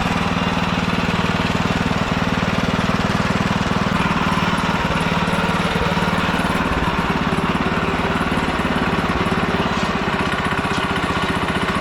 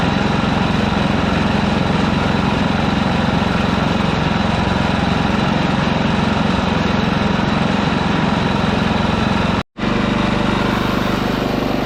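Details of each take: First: Old Ditch Witch C99 with a Wisconsin engine, oil bath air cleaner refitted, running on a smaller fixed-jet carburetor: steady, rapid single-cylinder thump about four per second, needing part choke to keep running. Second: Ditch Witch C99 trencher with a Wisconsin engine, freshly filled with 30-weight oil and started: steady, even thumping single-cylinder run at a constant low pitch, no knocks or misses. Normal running.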